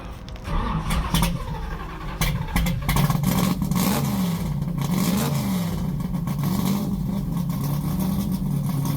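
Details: 640 hp 505 cubic inch big-block Mopar stroker V8: a deep, lumpy burble swelling with gentle revs after some handling noise, steady with no knocks or ticks; healthy.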